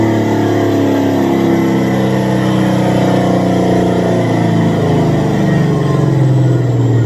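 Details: Supercharged Coyote V8 Ford Fairmont on dyno, about 900 rear-wheel hp, new Magnafuel 750 pump on boost-referenced return fuel system: strong clean roar climbing smoothly in pitch, no misses or stumbles; plenty of fuel, normal WOT pull.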